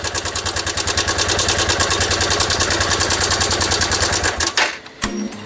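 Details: Dion 150 single-cylinder motorcycle at idle: fast, even metallic ticking about three a second; slack cam chain rattle from a failed cam chain tensioner, confirmed by releasing the tensioner.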